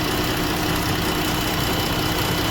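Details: 2017 Jeep 3.2 V6 idling with a busy, slightly uneven rumble and faint recurring stumble; cylinder misfire (P0205, P0305) from an injector that failed open once hot, diagnosed and replaced.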